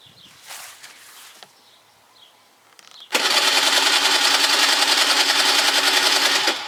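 A high, buzzing starter whir runs about three and a half seconds and stops without the engine ever firing: it cranks but won't start.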